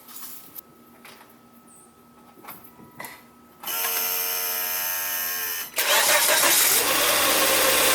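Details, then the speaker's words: 2006 Volvo XC90 2.5T AWD, start-up before a performance mod: catches to a fast idle with a steady high whine. Owner suspects the timing belt tensioner. Unconfirmed. "foreign drop down like right now I think something's wrong with the timing belt tensioner with that sound reminds me of my Marquee Jetta"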